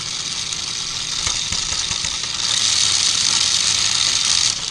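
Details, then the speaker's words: 1994 Lionel RS3 Happy Holidays (6-18837) motor on test, about right speed, then suddenly kicks into high gear: uneven high whirring buzz that abruptly gets louder and faster; no speed regulation, motor needs cleaning, dirty commutator suspected. "It just like kicked into high gear. This is the type of motor I can pull the back off of."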